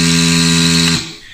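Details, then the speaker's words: Philips Perfect Draft beer tap repaired by replacing capacitors; keg sensor triggers and the pump runs with a steady electric buzz for about a second, then stops cleanly; running normally. "Et voir si la pompe elle se met en route. Oh là là là là là, que c'est beau."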